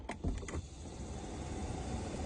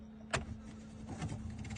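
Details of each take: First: Car A/C cabin blower fan after cleaning and maintenance: a few brief clicks, then a smooth, steady low rush with no rattle; the earlier annoying noise is gone. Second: Car AC blower fan switched on: click, then rough fluttering rush over steady hum that worsens at higher fan speed; blower fan fouled with debris, fixed by removing and cleaning the fan.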